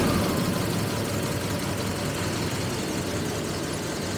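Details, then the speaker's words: 1985 Jaguar XJS V12, first start after 30 years abandoned, gauges dead: a low, lumpy, stumbling idle with several cylinders not firing yet. "but I'm going to let it run for a minute or so see what happens see if it uh picks up or maybe we gain a cylinder or so"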